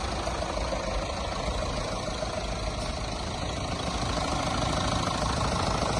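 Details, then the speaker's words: Mahindra Thar BS6 diesel engine after flood-damage overhaul, first start after head refit: steady, even idle clatter with consistent beat, nothing irregular; sound back to original, healthy. "চাউণ্ডটো original চাউণ্ডে আহিছে।"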